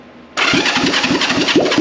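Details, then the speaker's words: A restored Honda CB450 Black Bomber with a new engine makes its first start after fuel is squirted in. It suddenly catches and fires at about five pulses a second, settling into a rough idle; the engine runs. "I don't know about you guys but that's a runner that that just made lots of Noise with just oh that's awesome"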